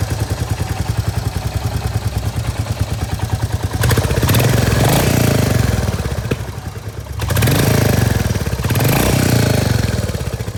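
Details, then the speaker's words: Royal Enfield Hunter 350 single-cylinder idling with a few throttle blips after the sump guard was refitted with rubber bushes at the nuts to cure its humming; even thump, no metallic hum or buzz. Normal idle after fix. "और समग लगाने के बाद कैसी sound आ रही है with those rubbers जो कि हमने नट में फिट करे हैं"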